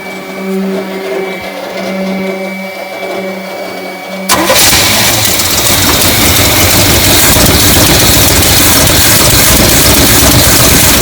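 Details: Classic Chevy ramp truck V8, start after a charged battery and a little fuel, following a shorted wire that had killed the coil module: starter catches about four seconds in, then a steady, even idle with no misses.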